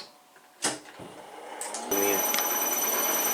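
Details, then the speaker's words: Belt-drive spindle with new extended-quill design on CNC mill, run with no tool engagement; steady whine with light clatter about four per second, quieter at 1500 rpm and under cutting load, bearings staying cool: spindle clatter at no load. "so let's uh we'll turn this on and run through and let you listen to the clatter there is definitely some cloud here"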